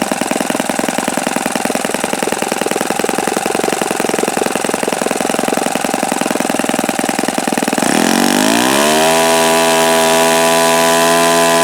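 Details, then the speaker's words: OS FS-48 Surpass four-stroke model engine on a test run: rapid buzzing exhaust climbing to a smooth steady high-pitched scream at considerable rpm, mixture richened after earlier knocking; no bad-bearing noise heard, sounds healthy. "Okay, so maybe I didn't have it tuned properly the last time I ran this, because it seems to turn quite considerable RPM now."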